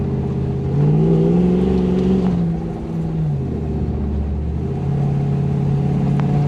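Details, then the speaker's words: Toyota LN106 Hilux with 1UZ V8 swap and automatic, after fixing air leaks and lean fuel-supply issues, driving: deep even V8 pulls cleanly through rev rise, no spluttering or misfire; repair successful. "i definitely think that's been successful grows much nicer no spluttering way better"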